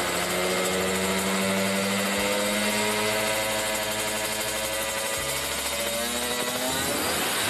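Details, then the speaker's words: Kawasaki Ninja RR two-stroke with racing exhaust during carburettor tuning (pilot jet 25, main jet 270, needle changed): buzzy revs rise slowly, briefly hold back around 7000 rpm, then climb freely through 8–10k. The earlier holdback is mostly cleared. "Memang nah kayak gitu ya teman-teman jadi Tadi sempet ada tertahan di RPM 7000 that nah tapi setelah digas pol 8 9 10 ke sana itu udah apa yang namanya udah enaklah lah Udah lepas gitu"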